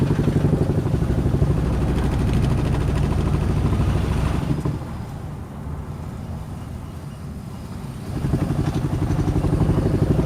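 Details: Toyota Prius hybrid with check-engine misfire faults. Uneven, stumbling pulse of about four beats a second that fades and returns, as if missing on a cylinder. Cause unknown; engine misfire.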